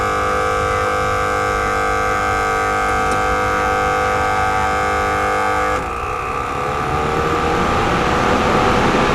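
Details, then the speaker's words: Mustang that overheated after 10 miles because its electric radiator fan wasn't working, after rewiring, key on: steady whirring hum for several seconds, then rushing airflow; cooling fan now running and blowing normally. "now when I turn on the key the fan should start fuel pump is working how about the fan"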